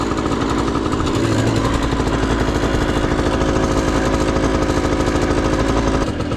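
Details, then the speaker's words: 1991 Honda EZ90 Cub, 90cc two-stroke with CVT, on premix with the oil pump removed: small two-stroke buzzing fast and steady, never dropping to a low idle; idle set too high. "Idle's a little high. It wants to basically just take off."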